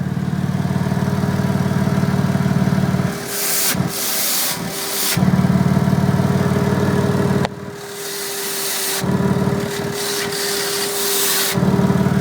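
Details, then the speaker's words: 2001 Toyota 4Runner, rusty exhaust, tailpipe capped from under the truck with the engine not too hot: idle drone breaks into a loud airy hiss, an exhaust leak on the catalytic converter side, before repair. "So that means there's definitely a leak in the exhaust on the catalytic converter side."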